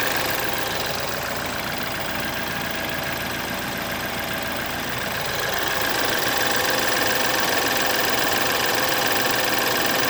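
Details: 2011 BMW F10 with N20B20 engine at idle: fast, even metallic rattle about three or four per second, timing chain noise recorded before chain replacement.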